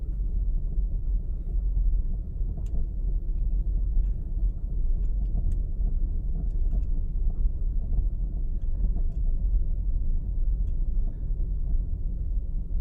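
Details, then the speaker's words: 2018 Subaru Outback 2.5i Premium, about 11,800 miles, recorded in cabin on an old potholed asphalt road: road rumble with scattered dull knocks over bumps and key jingle; clunk from driver's front wheel, dealer couldn't replicate, cause unknown. "my keys make a jangling sound just kind of masks the the clunk a little bit but you can still hear it as we drive down this potholed marked country road"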